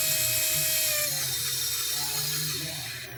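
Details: Banggood DYS X160 micro FPV quad: high-pitched motor whine with wavering tone sagging as motors spin down; vibration from bad bearings in one or more brushless motors causes right drift.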